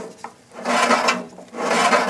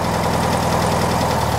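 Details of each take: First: 1969 VW Beetle engine turned slowly by hand; a slow scraping rasp swells with each turn as the squirrel-cage cooling blower beside the generator rubs the back of its shroud, which caused the high whine heard on a test drive. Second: 1969 VW Beetle flat-four idling while Pertronix distributor timing is adjusted: short, steady idle with even low pulse, no misses or knocks; runs smooth after timing set.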